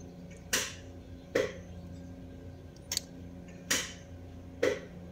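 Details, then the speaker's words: Car that only clicks and won't start: five sharp single clicks about a second apart, no cranking; the multimeter shows the 12 V start signal reaching the starter solenoid with the click, so that circuit is fine. "entonces doy Start y al escucharse el click aquí en el multímetro se deben de ver los 12 V"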